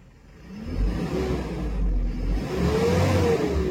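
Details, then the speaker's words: Mitsubishi Canter Euro 4 truck, 4V21 diesel engine, after cylinder liner replacement, idling at 800 rpm then free-revved: climbs, hangs and drops back without reaching the red zone; limited by a slightly faulty unit injector. "Oke deh nah ini kurang masuk ke merah karena di injektor unit sekarang ada yang bermasalah sedikit ya"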